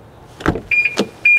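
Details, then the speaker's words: 18-year-old car whose central locking has stopped working, and a new key battery did not help. Unlocking with the key and opening the door gives a door clunk, then sharp high-pitched alarm chirps. "But when you come to unlock it with the key and open the door, you get this, sounds like a rape alarm."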